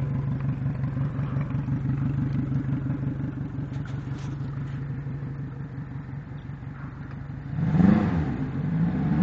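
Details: Yamaha 90 outboard at 1400 hours with dirty fuel injectors: uneven, clattery idle near four beats a second, rising on a throttle blip; rough running from dirty injectors.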